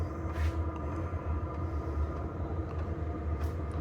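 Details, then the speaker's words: Diesel heater installed in an Alu-Cab canopy camper, fired up with silencer fitted on the exhaust: soft, steady low rumble with an even muffled exhaust note and no popping or surging; burning cleanly, normal running. "well there she is she's all fired up and running we've got the silencer on the end now"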